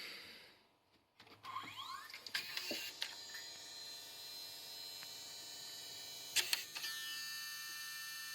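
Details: Early-2000s JVC HR-DVS2 S-VHS/miniDV combo, miniDV cassette inserted: steady high whirring with scattered clicks and clunks as the transport labours and won't run the tape. Abnormal head drum noise; a head-area part is suspected, unconfirmed.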